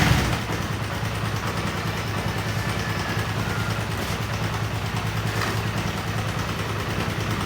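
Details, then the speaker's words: Honda CB150R idling with a busy, uneven ticking rattle over the beat; mechanic hears a rough noise seemingly from the upper left of the engine, cause not confirmed. "Motor ini suaranya sangat terdengar kasar, kemerosok pada bagian mesinnya, tetapi sepertinya masih di bagian mesin kiri ya teman-teman ya, di bagian atas ya."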